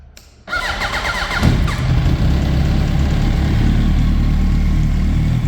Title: Yamaha R1 strange engine noise